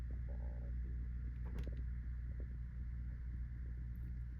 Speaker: Not very pronounced on your amp, but the bias circuit does introduce a tiniest bit of hum and you can kind of hear it if everything else is real quiet like it is [Music] now. Hopefully that's picking up on the camera. It's that low uh 120 Hz hum.